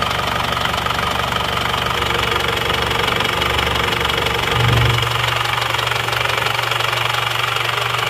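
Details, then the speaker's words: Isuzu Panther diesel after repair, warm at 79 °C: steady, even idle clatter with no misses or heavy knocks; oil filler check shows only oil vapour, no smoke, engine even and in good condition. "Jadi sudah oke juga ini kondisinya. mesin rata."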